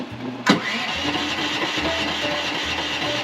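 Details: Chinese mini excavator just after replacing a faulty battery cutoff switch that caused intermittent power loss and starting trouble: it catches sharply at half a second, then runs with a steady, even rumble and hydraulic cooling fan. Normal start and idle.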